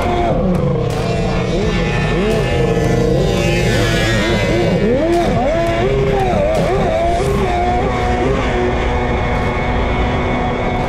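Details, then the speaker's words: Mini jet boat with a three-cylinder two-stroke 1200 and triple pipes (header re-welded, new pipe brace), running on the water. Loud revving with wavering, uneven pitch that sounds a little weird; owners suspect it is running slightly lean, unconfirmed. "it's definitely a little bit weird yeah the reason why i asked about the screwdriver kind of sounds like they're a little bit lean"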